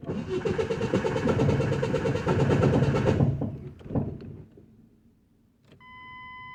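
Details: Truck at shop, cranking: harsh metallic grinding over the cranking beat; starter suspected misaligned, mechanic plans to drill mounting so bolts tighten and align it.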